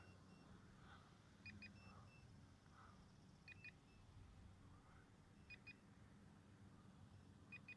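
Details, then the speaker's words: Eachine P-51D Miss Helen brushless RC warbird, 500mm wingspan, 2S battery, after landing: quiet background broken by paired high-pitched beeps repeating roughly every two seconds, the plane's low-battery warning. "but that's a little battery beep now again you can make it beep automatically by hol"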